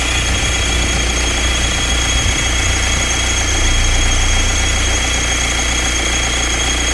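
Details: BMW 520d N47 diesel idling: steady clatter with a faint irregular ticking; owner unsure whether water pump, crankshaft pulley or something else; unidentified engine noise.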